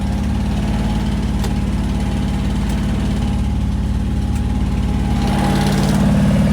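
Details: 1973 International Travelette crew cab with a 392 V8, parked 30 years, running on a pulsing fuel pump with good oil pressure. A steady, loping idle with even firing pulses and a slight rise near the end: normal idle.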